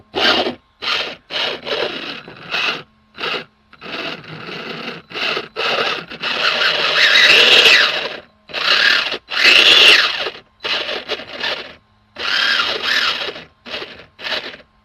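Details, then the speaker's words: Old nitro RC car converted to electric, first acceleration test after mounting the motor: harsh high-pitched grinding bursts with each throttle blip, cutting out between pulls; pinion not meshing, stripping the spur gear. "Alright, moment of truth. Let's do a little acceleration. That sounds horrible. So yeah, that's that's eating up the"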